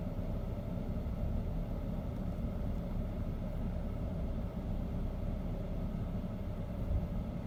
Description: BMW 528xi 2008 model having rough idle